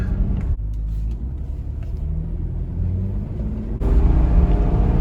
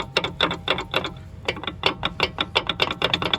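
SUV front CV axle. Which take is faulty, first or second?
second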